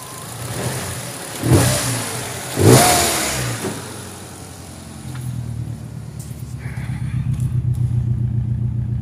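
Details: Turbo car after overtake: two revs then lumpy idle, #3 misfiring, running rich; #3 compression 3.2 bar versus 12 bar others, exhaust smokes and smells of oil, head gasket ruled out.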